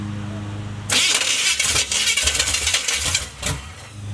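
Engine cranks with ragged, uneven firing bursts that sputter and never catch; it tries to fire but won't run. Cause suspected, not confirmed.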